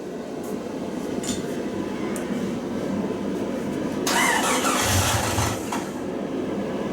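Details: 1999 Jeep Cherokee after engine swap, first start attempt with fuel relay and coil plugged in: steady starter churning about four beats a second for several seconds, never catches; cranks but won't fire.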